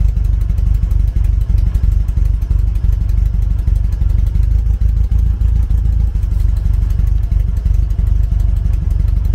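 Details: 1974 VW Beetle flat-four on Weber IDF carbs, revved repeatedly to try to blow out a blocked cylinder-three idle jet: choppy, uneven beat with pulses dropping out irregularly. Still misfiring on a cylinder.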